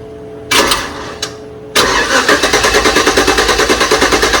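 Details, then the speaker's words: 1987 Chevrolet C10 with LS swap, in limp mode with three gears and starting in second: first crank fails, second catches into a lumpy idle pulsing about three times a second; owner suspects low fuel pressure despite a running pump; hard start. "I think even though the fuel pump seem like it's running, I think it still may be an issue with the fuel pressure. So, I'm going to see if I can get it started up."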